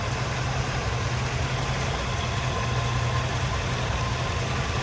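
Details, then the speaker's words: Restored 1963 Chevrolet Bel Air, 327ci small-block V8 with Tremec 5-speed manual, idling with good oil pressure: smooth, even low rumble, no top-end ticking; valve train sounds perfect, great idle quality. "Just super smooth, valve train sounds perfect. Great idle quality."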